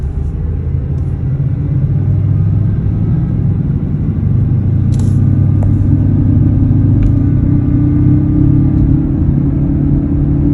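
Steady low drone rises slightly while driving under road rumble; a hum whose source isn't pinned down, could be bearing or tires. Cause suspected, not confirmed.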